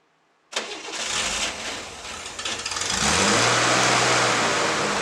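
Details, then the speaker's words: 1960s air-cooled flat-six project car, after carburetor tune-up and transmission fluid top-up: cranks, catches, briefly stumbles, then settles into a steady, even idle; runs better than before. "So, we've tuned up the carburetors. We got a little bit of transmission fluid to the transmission. It runs better."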